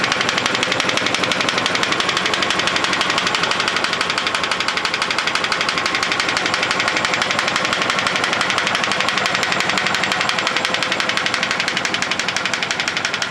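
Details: GAZ-24 Volga engine: sharp, fast, even metallic tapping about three per second over the engine throughout; a clear engine knock, source not pinned down.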